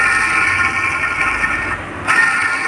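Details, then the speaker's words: Fiat Palio Fiasa, running engine: loud, steady high whine from a failed auxiliary belt pulley bearing; the belt is also fraying and the noise worsens at high revs; auxiliary belt pulley bearing noise. "esse rolamen aqui tá estourado cara tá fazendo um barulho viu ó ó o barulho que ele tá fazendo"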